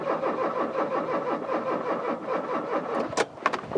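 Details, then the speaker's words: 1996 Rover 216 SE Cabrio (R8), after new in-tank fuel pump fitted and fuel leak fixed: pump heard buzzing, starter cranks evenly with no firing; it ran on easy start spray, fuel delivery suspected. "it's now gone from a car that ran but a tiny little fuel leak to car without a fuel leak and I can hear the pump buzzing to a car that won't start"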